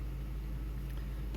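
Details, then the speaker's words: Ford F-150 V8 idling smoothly after the IAC valve was swapped (old gasket reused), settling toward about 700 rpm while warming; earlier air-sucking noise gone, normal even rumble with no ticks or knocks. "pero mira ya se está se está nivelando y ya no hace ruido"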